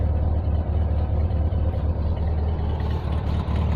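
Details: 1971 VW Beetle automatic, restored, rebuilt 1700 air-cooled flat-four and rebuilt gearbox, 30,000 miles showing, recently driven fine on the freeway: steady, even low idle burble with no misses or knocks, a smooth, healthy engine.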